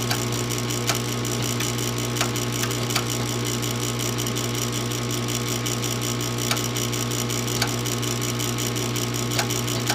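Steady low hum with sharp irregular clicks every second or so while the unit never lights; furnace failing to start, cause unclear.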